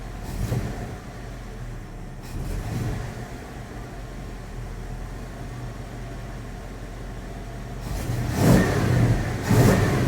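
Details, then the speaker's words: 5.9L Magnum V8 (1980 Dodge W200, Holley 600 cfm) with 66 jets, restarted after cooling: deep even idle and clean crisp blips, clean at 2500 and 4000 rpm with only a tiny bog; normal revving. "when I held it up to like 4,000 RPM it super clean I held it to like 2500 clean it wasn't like missing and stuff"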